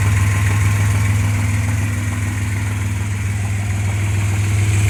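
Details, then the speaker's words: 1995 Suzuki Escudo with the H20A engine at hot idle: a dull, fairly regular knock about three a second, audible even from the cabin. It is absent when cold, appears when hot and quickens with revs; the cause is not found. "получается на холодную не стучит на горячую стук какой-то появился"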